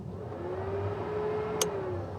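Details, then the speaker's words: Datsun 510 converted from dual carbs to individual throttle bodies, fan relay wire grounded by hand ahead of rewiring it to the ECU: a single sharp relay click, then a smooth fan whir that swells and holds steady; fan circuit working normally. "Not sure if it shows up on camera, but you can hear the relay ticking. And you can hear the fan come on."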